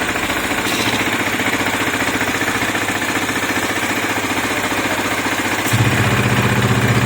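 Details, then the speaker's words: KTM Duke 250 after engine noise repair: oil, oil filter, rocker, timing chain and cam replaced: steady, even single-cylinder idle with no ticking or chain rattle, turning deeper with the exhaust muffled by hand; healthy. "देखो तो आपने आवाज सुनी गाड़ी बिल्कुल silent हो गई है इसमें कोई भी आवाज नहीं है"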